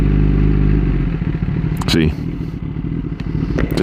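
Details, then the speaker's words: Kawasaki ZX10-R sport bike in neutral: engine idles, then the revs drop way down into a slow, uneven idle close to stalling; owner is unsure why but thinks it's not a problem. "immediately dropped way down. So, not sure what that's about, but I don't think it's a problem."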